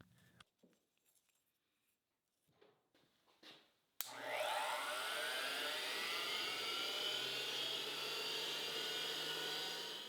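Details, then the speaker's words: Tool post grinder, unoiled, motor around 15,500 RPM, spindle pulley combination about 6,000 RPM: spins up with rising whine, settles into smooth steady high-pitched hum; running normally. "with this pulley combination that should be somewhere around 6,000 RPM nothing exploded"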